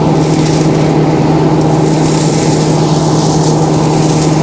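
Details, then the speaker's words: Sawmill sawdust blower with new welded motor mount, bigger blower and a clutch for easier start-up, heard by the saw blade: steady low hum with even rushing whoosh, no knocks or rubbing; more suction, running normally. "yeah you can actually hear that thing that is a little bit bigger so we're getting a little bit more suction so"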